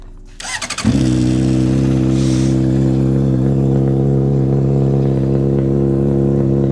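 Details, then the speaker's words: 2007 Honda CBR600RR inline-four, bought used, untested on road: brief starter crank, then catches into smooth even idle with steady low hum, no knocks; starts and runs well. "So as you can see, the bike starts up good, sounds good."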